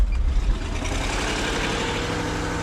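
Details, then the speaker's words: Jaguar just started from a completely dead battery with a TackLife T8 Pro jump pack. Steady deep idle settling quickly, even beat, no misses: normal idle. "That jump pack just started a completely dead battery."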